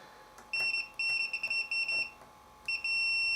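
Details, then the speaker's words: Samick KS10 guitar amplifier, power switch removed from the unit and tested with the meter: continuity beep keeps cutting in and out in broken chirps; continuity exists with the switch on but is poor, an intermittent contact inside the switch. "well that's interesting now we have continuity across the switch we didn't before and with it off we definitely have don't have continuity so although it's not very uh great"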